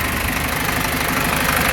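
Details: 2005 Isuzu NPR diesel after rebuild, warmed to temperature: rough idle with steady rapid chuffing pulse under clatter, excessive crankcase blowby; pulses in cooling system match crankcase, milky oil at breather, engine must come back out.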